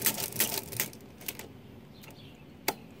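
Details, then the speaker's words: Repaired Marchant XL mechanical pinwheel calculator, crank turned forward and backward: quick run of crisp clacks then lone click after pause; counter works, tens carry working except first counter position. Normal operation. "turn this crank my counter goes forward backwards my counter goes backwards"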